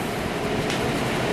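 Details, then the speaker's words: Freshly rebuilt 454 big block during break-in, run about 15-20 minutes: loud, steady, even roar with no knocks or ticks; running smoothly, owner happy. "But, well, I continued to run the motor. And you know, we ran it about 15-20 minutes. We almost got the break-in completed."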